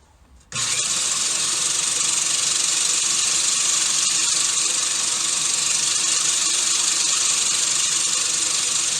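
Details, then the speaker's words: Gardena 380 C push reel mower backlapped with a drill spinning the reel backwards and 120-grit lapping compound: steady, even scraping hiss with no single blade knocking; reel lapping smoothly. "so as it turns you can hear it's pretty pretty smooth even turn you don't hear one of the blades knocking and the rest being smooth it sounds good"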